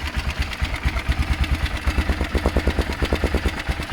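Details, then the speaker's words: Motorcycle (BMW F650 Funduro or Kawasaki ZL600 Eliminator) after cleaning the coil wire, fired straight up: steady, even thumping idle with regular beat, no misses, knocks or rattles; normal idle. "so I cleaned the the wire on this coil I forgot to do it and it actually fired straight up it was cake"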